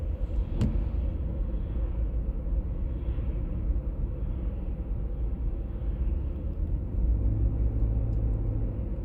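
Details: 1996 BMW E39 523i automatic (pre-facelift): low steady drone under road rumble, swelling toward the end while cruising, heard at 50–60 and 70–80 km/h; source still unknown.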